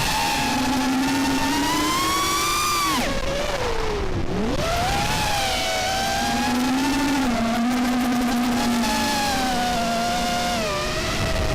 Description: Just put these RDQ 2205 2450kv motors on my quad and they fly great but the motors sounded strange in playback.